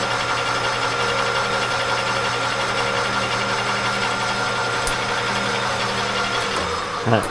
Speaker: can hear that Delrin rattling around in there